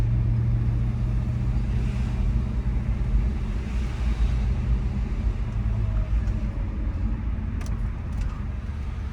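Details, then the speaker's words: Audi S4 after DIY low oil pressure warning fix, driven slowly at low rpm: low, even rumble over road noise with no knocks or ticks; very quiet and healthy, warning seemingly not popping up. "very very quiet i don't hear any kind of issue this is how the car's been driving"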